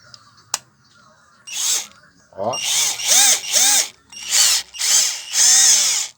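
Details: Hummer PLI12 cordless drill/driver on a battery reading 11.5 V, after repair of a fault where it wouldn't reverse and made a strange noise: short smooth motor bursts swooping with the trigger, no grinding or slipping; reverse now works normally.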